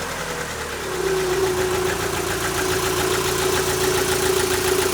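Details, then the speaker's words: Rover 75 started right after replacing factory-fit spark plugs, before the engine cover goes back on: catches and settles into an even idle, steady tone, no stumbles or misfires; judged to run better after the plug change. "Now I'm listening for misfires. I can't hear any misfires. Blub da blub da blub da blub."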